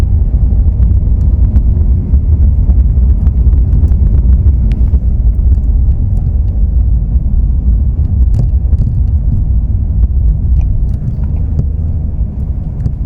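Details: Porsche 997 Carrera driving over bumps: irregular sharp knocks poking through heavy low road rumble, coming from the rear shock absorber.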